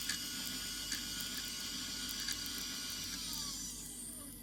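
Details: Sky-Watcher HEQ5 Pro mount slewing after being rebuilt. A high whirring motor note with ticking and chatter, the pitch sweeping as it winds down. Loud, noisy drive; cause unknown.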